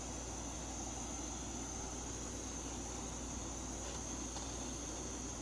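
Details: MSR Whisperlite International stove burner after priming and warm-up, lip glowing red: even, steady roar with a thin high hiss, no sputtering or surging; running clean and normal.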